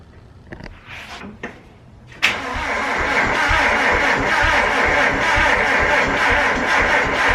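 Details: Mazda Miata with a rebuilt turbo engine just reinstalled, first start attempt: a few short starter bumps, then about five seconds of steady cranking that never catches, a crank-no-start; owner suspects the fuel lines are hooked up backwards.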